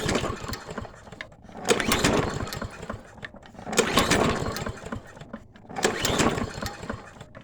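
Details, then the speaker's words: Toro 22-inch Recycler mower, oil drained to level, air filter box removed, spark plug connected; three recoil pulls, engine spins but never catches, starved of fuel by a clogged carburetor main jet. "should we give it some some go-go juice ah let's see i thought it would crank up though"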